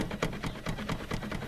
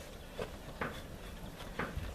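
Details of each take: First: ZAZ Tavria rear hatch: quick regular metallic clunks, four or five a second, as the hatch is shaken; lock moves and the whole hatch plays loosely, guide to be replaced and lock mounting torn out of the body. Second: Tavria rear hatch after repair (drilled-in rubber stop bumpers replacing torn seal that left a gap): hatch shaken while closed gives only soft dull bumps, no knocking or rattle, holds firmly.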